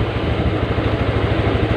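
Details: Honda Vario Techno that would not start, after fitting a new battery, charging about 13 V: quick, even putter at idle with steady firing pulses and no knocks or misses, normal idle.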